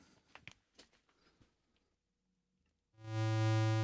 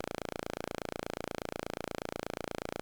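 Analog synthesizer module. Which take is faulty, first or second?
second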